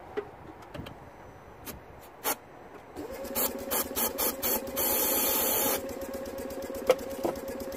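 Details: 2009 Smart Fortwo 451 1.0 L 71 hp petrol, cranked after easy-start spray: even, quick starter drone, slight tone change but no catch or fire; spark fault suspected, but a later test shows weak compression. Crank no start, low compression.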